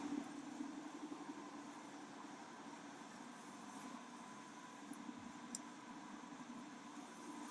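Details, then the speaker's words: Winnebago Revel van driving with insulated window pillow left on the sliding door window: only soft even wind hush, no tapping or buzzing; usual window rattle gone. "i really don't know if you can hear it on here but i hear nothing there's a little bit of like wind no rattle"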